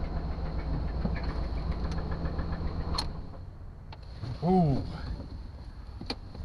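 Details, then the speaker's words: 1998 Suburban run after sitting 8 years, old oil looking terrible and oil pressure low: uneven, irregular knocking rattle over low rumble; owner suspects a bearing going, earlier thought a stuck valve, unconfirmed. "that does not sound good at all that sounds like a bearing going"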